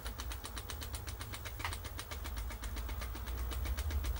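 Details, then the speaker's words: Philips VR2022 V2000 video recorder in fast search: a quiet, quick ticking flutter under the transport noise as the tape flaps over the pinch roller, which is suspected worn and not pinching properly. "can do a fast one search but you can just hear it flapping over that pinch roller you can see it you can't see it turning but it's jumpy because of that pinch roller isn't exactly pinching properly"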